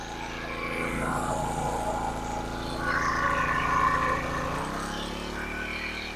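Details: King Canada 1500 W generator (rated 1200 W) loaded with a 1500 W heater on medium: even drone labours under heavy load, pitch rises as load comes off; running normally.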